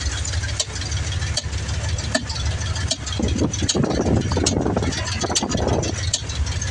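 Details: 1994 Ford F-150 302 EFI V8, desmogged, about 5k on a fresh rebuild, Lunati Voodoo cam, roller rockers, headers, free-flow mufflers; idles with a sharp tick or pop about once a second, strongest at the air intake, not the valve covers; owner suspects IACV, EFI port seal or poor gas.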